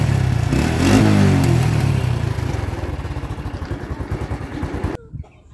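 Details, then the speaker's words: Honda Revo Absolute motorcycle: quick rev, then uneven exhaust pops and crackles as throttle closes; suspected causes are worn or mis-gapped spark plug, leaking carburettor diaphragm rubber, or faulty CO2 hose, not confirmed. "ada keluhan Revo Absolute knalpotnya nembak-nembak saat dilakukan penegasan atau saat turun gas knalpotnya motor ini nembak-nembak ya"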